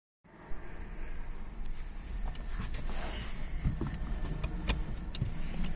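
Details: Seat Toledo 1.0 TSI 81 kW petrol (same engine as Skoda Fabia, Octavia, Rapid, Seat Ibiza) idling just after a cold start, outside temperature above 20 °C; irregular sharp rattles over a low rumble.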